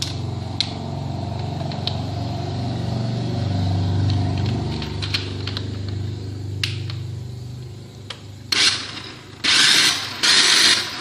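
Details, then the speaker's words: Maspion hand mixer motor, previously opened and glued shut, running: coarse, uneven whirring rasp with scattered ticks instead of a smooth hum; very rough running, cause not yet found before disassembly. "Sebenarnya mixer ini masih hidup teman-teman namun bunyinya sudah sangat kasar sekali teman-teman dan ini sudah pernah dibongkar dan sudah diakalin ya teman-teman"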